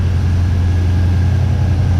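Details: 1979 Chevy C10 squarebody engine after sitting 10+ years, belt refitted and water pump turning, heat cycling: deep, even idle with a low, steady burble and no ticking or knocking; no lifter noise, no leaks, no blow-by, motor judged solid.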